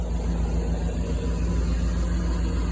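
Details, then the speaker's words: Hemi V8 newly installed in a 1983 Dodge Ramcharger with a Holley Terminator, alternator showing 14.3 V. Deep, even low rumble with a steady throb and no knocks or ticks; no leaks, no smoke. Normal smooth idle. "But it runs smooth, purrs, sounds good. We got no leaks,"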